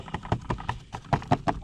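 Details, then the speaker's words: Toyota Prius Gen 2: loose, flimsy end section of underbody cover toward the car (mount also loose) clacks hollowly over any bump, about five quick plastic clacks a second; owner fixes by packing rubber strip under it with 10 mm socket. "it's it's flimsy so you go over any sort of bump it's gonna make a noise"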